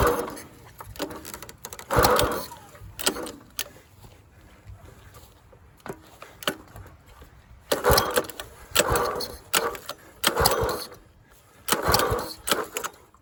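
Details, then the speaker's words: Dumpster-found go-kart engine, partly disassembled, missing valve-cover parts, not connected to anything, refueled: repeated start pulls with sharp cracking backfire pops, no steady run; owner suspects wrong timing. "Does not like starting. It's backfiring. I feel like timing is wrong."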